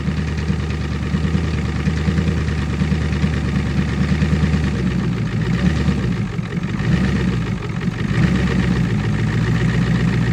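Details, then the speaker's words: Ford 6.9 IDI diesel in a 25-year-old snowplow truck, cold winter start: steady low diesel clatter settling into an even idle with no misses or knocks; it fired right up, normal cold idle. "here's some proof of life for you oh well it fired right up"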